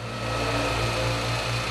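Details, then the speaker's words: Ford Fiesta/Ka idle air control actuator reconnected after scanner adaptation: petrol engine holds a steady, even idle with rpm dropping back to original position, no surging, no other parts changed. "agora com atuador ligado pode ver que ele mantenha marcha lenta caindo a rotação na posição original"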